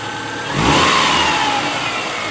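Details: A 2002 Subaru Outback 2.5 runs after its new alternator/power steering belt was fitted, replacing a snapped one. It catches, swells into a quick, clean rev, then settles to a steady, even idle. Normal running.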